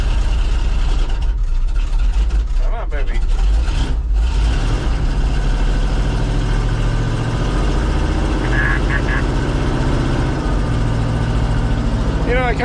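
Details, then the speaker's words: Cold start of an old International engine: it only runs when held at about 1,800 rpm right off the bat, fast steady roar with slight uneven pulse; rough cold running needing high idle until warm. "of feel bad you fire it up and you run it at like 1,800 RPM right off the bat but that's about the only way it'll run you know"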